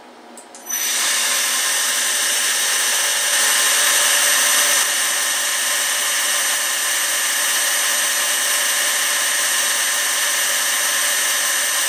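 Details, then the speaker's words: PM727M mill after a gear head to belt drive conversion, motor at 3,000 RPM, computer and control panel fans audible: smooth, steady high whir, even tone, no knocks or rattles; normal running. "you can hear the fan running on my computer and control panel right now and then here is the motor running at 3,000 RPM"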